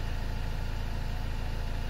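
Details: 2015 Chevy Cruze diesel idling right after fuel filter change: steady low diesel idle with even, regular clatter and no misses or knocks; runs just fine.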